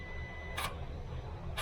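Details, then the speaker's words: Hyundai Santa Fe turbo wastegate actuator, heard under the hood while checking for a possibly seized rod bushing (circuit from computer tested good): two brief electric motor whirs over quiet hum; actuator moves normally when commanded. "So as you can see there, and you can hear that it's moving."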